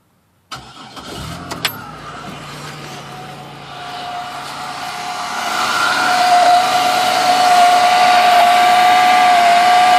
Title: Grinding noise coming from engine